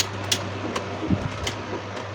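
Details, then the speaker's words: Second-hand electric fan after a DIY repair of its loud noise, reassembled and tested on speed 1, then speed 3. Steady low hum and an even rush of air at high speed, strong and smooth, now normal. "เดี๋ยวมาลองกันดูนะครับเนี่ยนะครับก็มีความแรงขึ้นมาเลยนะครับความลื่นนะครับเบอร์1ถือว่าใช้ได้นะครับเดี๋ยวมาเบอร์3กันดูนะครับความแรงนะครับแรงมากนะครับ"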